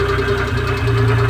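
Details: Suzuki F6A three-cylinder with a misfire complaint, just after setting valve clearance and refitting the cover: steady idle with even low pulses and a light tappet tick, running reasonably smooth with no misfire stumble.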